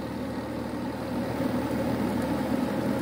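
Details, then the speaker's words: Carrier Infinity gas furnace after flood repair with a new inducer motor, control board and gas valve, heat cycle starting: a steady low hum rises gently as the inducer comes up to speed, with no rattle or scrape. Normal inducer motor startup. "it gets up to speed they hear the click and soon you will be able to see the glow in there"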